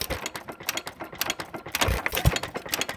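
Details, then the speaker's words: Frost King Jr 23959 1-3/4 hp hit-and-miss engine after detent adjustment and new springs: rapid clattering clicks in uneven bursts as the governor latch keeps jumping off. Suspected causes are rocker wear, worn pins, or a detent too tight with wear; not confirmed. "This is after a little bit of tinkering here and respringing. Let's see what's causing this to jump off now."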